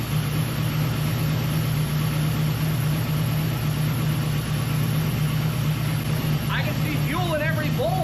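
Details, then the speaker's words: 1967 Firebird V8 with Holley Terminator X EFI at idle, just after its loose injector plugs were fixed. A steady, even rumble with no misses; the owner says a normal cold-start hiss, probably from the IAC, goes away when warm, and the lifters are always loud. "Now you might be able to hear it hissing normal on the throttle body systems when they first fire up, that goes away after it's warm. I think it's the IAC."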